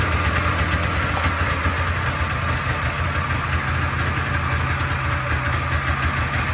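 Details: Polaris Trans Sport snowmobile two-stroke revived after 10 years unused (fuel system redone, plugs cleaned), running on choke indoors: a busy, steady buzz with an even rhythm, no misses or knock; running properly.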